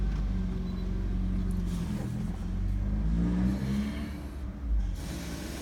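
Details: 2003 Nissan Murano, 198,000 miles, brought in for hard starting with service engine soon light on, after clearing the code: low, even rumble with a brief light rev, no knocks, ticks or misses; healthy.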